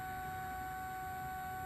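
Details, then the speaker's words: Cooling fan during bench test of the rehabbed Addams Family driver board and DMD controller with new high-voltage section, steady piercing high whine at one pitch throughout, cause unknown; fan whine. "And man, I'll tell you what, that whining from that fan is not, it's not fun to sit here and deal with."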